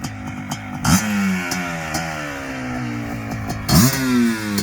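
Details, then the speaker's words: Suzuki LT500R Quadzilla 500cc two-stroke: 86.5 mm bore, FMF pipe, airbox lid off, 39 mm PWK-style carb, needle clip moved richer, coolant around 190°F. Sharp blips rise and fall cleanly with barely any sputter; jetting sounds well sorted. "um see now that sounded good i didn't really hear much sputter i would bet i'd say we're pretty good on the jetting"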